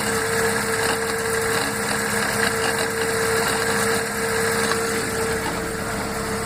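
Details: Fiat gearbox: steady mid-pitched bearing-like whine over an even idle when cold that disappears once warm; five mechanics called it normal, and changing the gearbox oil plus adding a tube of Molykote cured it.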